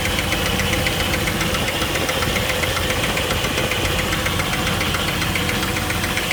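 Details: 2000 Jeep Wrangler TJ 4.0 L six-cylinder after losing all coolant on a 103°F day: steady fast ticking about four per second over rough idle, loudest under engine, loudest on water pump via screwdriver; cause unknown.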